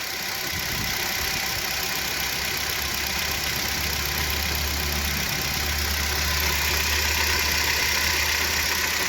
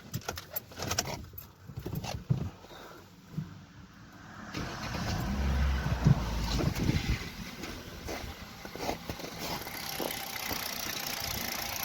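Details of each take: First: Kia Rio 3 1.6 at 75,000 km idling: steady idle with a faint, even tapping about four times a second; the power steering pump was knocking, not the pistons, as the knock vanished with its belt removed. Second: Kia Rio 3 1.6 at 75,000 km idling with the power steering pump belt removed: engine fires and settles to an even, steady idle with no knocking; the knock came from the power steering pump, not pistons; normal idle.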